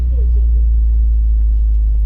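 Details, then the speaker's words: 2004 BMW X3 3.0L six after replacing the faulty ignition coil that caused the cylinder 1 misfire (P0301): deep, steady idle with no stumbles or dropped beats, running really smooth; normal idle after repair. "look at that way better it's running really smooth now I am happy with that"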